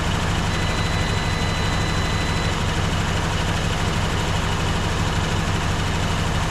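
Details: 1954 Dodge Coronet Poly V8, stored 42 years, now warm, freshly refilled with coolant: steady, even low rumble with no ticking or tapping; smooth, healthy idle.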